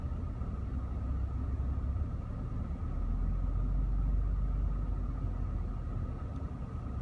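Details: Supercharged V6 Audi S5 idling at a stop light: a low rumble that sags and then swells back up as the rpm drops and spikes. Idle hunting with a misfire; cause unknown.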